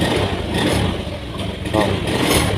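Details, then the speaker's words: Honda Beat FI scooter with intermittent stuttering: revs swell then sag instead of climbing cleanly, like fuel starvation; TPS input voltage jumped on its own to 0.468, confirmed faulty throttle position sensor, replaced. "dia itu ngempos ya, seperti telat bensin. Motor ngempos seperti telat bensin, tapi sensor TPS di sini terlihat tidak ada pergerakan ya dari input tegangannya."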